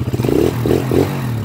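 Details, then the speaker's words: Honda TMX 155 tricycle after timing gear, clutch damper and clutch lining replacement for meow-like timing gear noise: throttle blips in neutral rise and fall cleanly, no whine; normal revving, noise gone. "Ayos, wala nang meow-meow. Ayos na. Nice."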